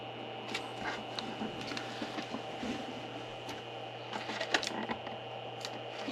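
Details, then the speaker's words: 60 mm fan in an OWC 4M2 Thunderbolt enclosure holding four 4 TB drives: a constant low drone with a faint steady whine on top that never changes. The stock fan hums too loudly. "It drives me nuts. It's just a constant low-level hum. So, the constant low-level hum drives me nuts."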